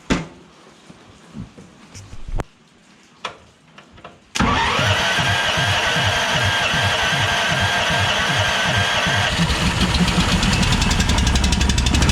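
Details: Harbor Freight Honda-clone engine on air compressor, wouldn't start from water or bad fuel in carburetor float bowl; after carb fix and fresh fuel, fires on pull off choke and settles into an even single-cylinder beat, running clean.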